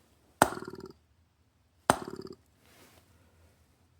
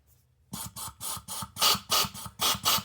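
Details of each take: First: MAC AH650 air hammer, unused about 20 years, after a soak and a few rubber-mallet taps: about nine irregular sharp pops with rattling tails as the stuck piston tries to cycle, burping; seized air hammer piston freeing up. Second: MAC AH650 air hammer restored after 20 years in a shed (new O-rings, trigger mechanism, air inlet valve), running at just 40 psi: crisp rapid hissing snaps, three or four per second, no leaks; operating normally.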